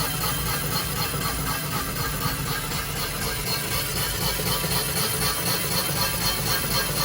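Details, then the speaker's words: Line honing the main bores of a previously rebuilt Crusader 7.4L 454 Gen 5 marine block (1994 34' Silverton) on the final cut to 2.938 in: even, steady cutting hiss with regular chatter and no snags, cutting cleanly. "Let's see how she comes out here in a second. Sounds like it's cutting really good."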